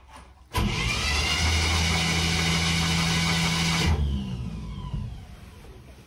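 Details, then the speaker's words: 1958 Chevy Impala with a 348 V8, sitting in a garage for years, in park with the distributor cap and rotor off to blow out oil put in the cylinders: fast, steady whirring crank with no binding. Cranks normally, not seized. "good turns over great okay okay blew some oil out didn't make much of a mess which is good"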